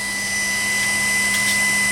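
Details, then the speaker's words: Jeep Wrangler YJ with new Auxbeam 6K LED headlights, listening close to the headlight: steady airy whir with faint hum and thin whine from the built-in cooling fan; normal operation. "a little fans of humming so I mean it's a bump of the old Jeep after a while you probably want to hear it anyway"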